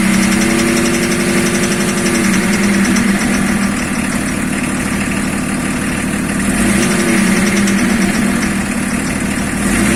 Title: Стук двигателя БМВ е-34